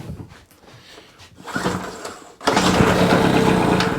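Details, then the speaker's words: Scrap street-find generator, spark plug in and carb spray added after oiling a stiff piston: after quiet handling noise the engine catches with a brief rough burst of firing on the starting spray, so it has spark and compression. "yeah we got a pop brilliant so now we can move on"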